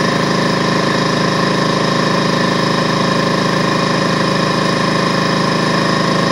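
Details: DeWalt 4.5-gallon air compressor after no-start repair, plugged in and switched on: loud, steady, rapid pump chatter with no rattles or slipping as the main gauge builds toward the 200 psi cutoff, output regulated to 100 psi; running normally.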